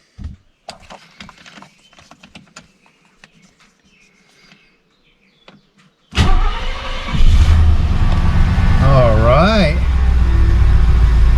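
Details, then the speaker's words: 1972 Mercedes-Benz 280SE 4.5 after replacing in-tank fuel filter, Bosch electric fuel pump, fuel lines and fixing tank ventilation: quiet six seconds, then engine catches at once into a strong, even, smooth idle; clean healthy start, no leaks. "well it's idling nice and smoothly sounds very nice still listen to the exhaust"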